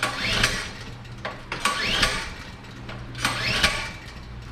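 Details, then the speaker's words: Generator unused for a while, pre-hurricane check with valves opened; three cranking bursts about every 1.5 seconds, each churning briefly then dying. Owner suspects choke or a forgotten lever is needed; unconfirmed. Cranks but fails to start. "maybe I got to have to choke on to start it I don't know just don't remember that's why I'm doing this ahead of time"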